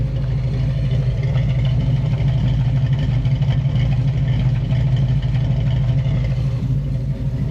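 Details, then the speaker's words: Small block Chevy V8 in a Nova, previously abandoned, idling after revival at about 160° with 30 lb oil pressure; steady deep rumble, no knocks or ticks. Earlier a chirp, suspected water pump or alternator. Clutch and reverse now work. "this this old motor sounds pretty good uh let's see we're sitting at I don't know 160° 30 lb of oil pressure clutch is working good it's going in out of reverse just fine now"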